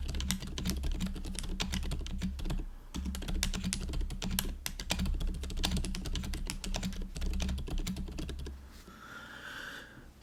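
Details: GoPolar TKL after silent conversion with Silent Cream Yellow Pro switches and fixed stabilizers, typing test: soft, muted key presses in quick uneven bursts with no rattle or ping from the long keys; quiet, well-damped board.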